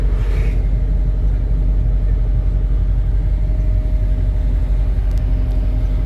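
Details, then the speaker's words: CAT 317 D2 wheeled excavator diesel smoking and shaking at idle; cutting out injector four stops the smoke, so that injector is damaged at the nozzle tip or over-delivering. Heavy, lumpy, uneven idle rumble: misfire from the faulty injector. "the engine is smoking but when I cut it out the number four smoke is gone that means this injector number four is either uh damage the nozle tip again or over distribution"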